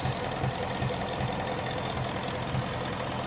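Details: 2017 Ford Mustang GT 5.0 Coyote V8 idling, codes P0302/P0316, cylinder 2 misfire; coils, spark plugs, direct and port injectors already replaced, cause unfound; uneven, loping beat with a dull low thump two or three times a second.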